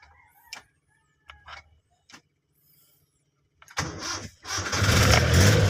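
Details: Car that previously only clicked and wouldn't start, now with a 100 A relay added to the starter circuit. A few quiet clicks, then it catches quickly and runs strong and steady. Normal start; starter now cranking properly.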